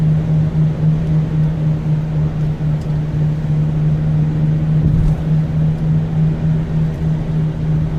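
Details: Subaru Outback wagon, original struts, on wet highway at 65 mph: steady low buzzing drone under road noise at one pitch, louder here; source unknown.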